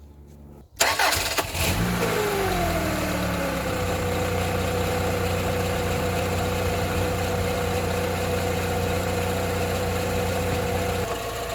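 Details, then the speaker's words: Rover 45 Impression S3 CVT, started after the battery connections and earth points were checked. A quick crank catches, revs flare, then settle to a steady idle with light pulsing; sounds much better, but the noise and lurchy driving remain, so the problem is not solved. "I don't know about you but that is sounding much better what do you think"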